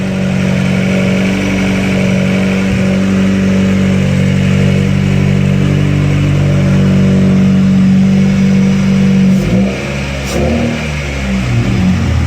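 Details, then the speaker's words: Honda Accord after its top end was reassembled, with an idle air control valve internal leak addressed (stock plate, new gasket), old spark plugs: starts easily, steady drone, smooth pitch changes on throttle, no knocks or rattles; healthy. "everything sounds good pretty happy it started pretty easy"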